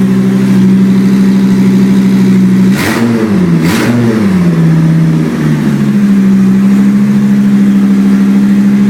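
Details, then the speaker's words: 2004 Chevrolet Colorado 3.5L five-cylinder, removed and running on a pallet with a hotwired start. It fires up at a steady fast idle, wavers briefly, then drops off high idle and settles smooth: a normal start. "There we go. It's sounding so much better now. Nice and smooth."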